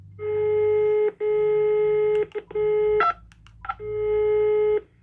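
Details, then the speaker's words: Intelbras Conecta PBX after the damaged matrix was swapped for a used working one, tested on an extension: steady mid-pitch tone in roughly one-second stretches with brief breaks and clicks; normal dial tone, the fault was only the matrix. "Opa, e funcionou. Tá aqui o tom de ramal normal, era só a matriz."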